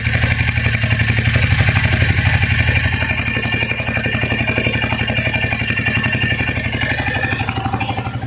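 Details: Royal Enfield Hunter 350 cold start after sitting overnight: steady even thumping about four beats a second with light mechanical clatter and no misses; healthy single idling from cold.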